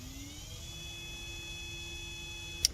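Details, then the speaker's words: 2010 Ford Fusion Hybrid auxiliary coolant pump, powered directly with 12 V while diagnosing codes P0A7C, P1A14 and P0A3E, switched on, off, on: a high whir spins up within half a second, holds an even pitch, then stops with a click. The pump runs healthy. "i want to give it a 12 volt and see if that that palm uh comes on and you guys can listen to this it's on off on"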